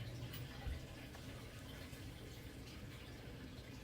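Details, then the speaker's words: Crawl space sump pump kicking on after its discharge line was cleared of dirt and sand: low pump hum under steady rush and trickle of water, draining freely. "Okay, I can hear that sump pump kicking on, and it's actually draining, as you can see. Watch, this is going to disappear here in just a matter of seconds."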